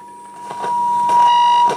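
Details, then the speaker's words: Telefunken Bajazzo Compact 3000 vintage radio recorder, recorder section bypassed, signal injected at the receiver: a clean, loud, undistorted ~1 kHz tone. The audio amplifier works and the fault lies in the recorder section. "if I'm now uh injecting again our signal here right into the receiver we should hear the signal and we do"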